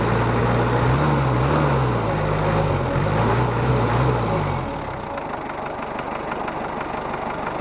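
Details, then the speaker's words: Mitsubishi Kuda diesel after injector nozzle replacement, nozzles chosen because the first set was too harsh: steady, even idle clatter with smooth low rumble, no misses or knocks; now smooth, not too harsh or dry. "Hai kalau suaranya sih saya inginnya itu tadi seperti mobil 30 tapi ternyata terlalu kasar akhirnya kita cari ini yang kita dapat suaranya halus enggak terlalu kasar atau kering sudah pas"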